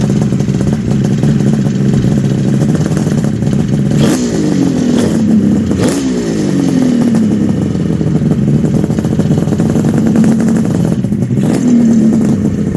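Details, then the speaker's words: 1974 Kawasaki H2 750 two-stroke triple, revived after 34 years; stubborn at first because it needed fuel, now starts on half a kick: fast even buzz holding steady at set idle apart from brief blips; normal idle. "This is like really good news. It was a little stubborn to get it going, but it needed fuel, and now it'll start on the half a kick."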